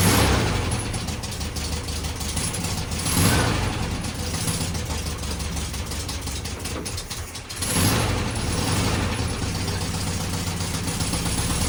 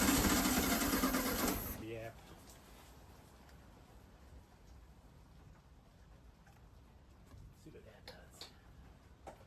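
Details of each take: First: 1969 VW Beetle running on its own after 33 years stored, with cleaned points, rebuilt carburetor and rigged fuel system: loud steady clattery run, quick tapping pulse, brief dip. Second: 1969 VW Beetle sitting 33 years: two seconds of fast even cranking that never catches; spark at points unverified, owner decides carburetor needs cleaning.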